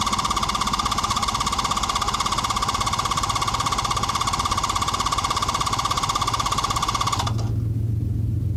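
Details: Honda CB650 with Ricks Motorsports CDI, cold start with choke lever pushed by hand (no choke cable): fast even cranking about seven seconds that never catches, a bit better than normal. Hard cold start.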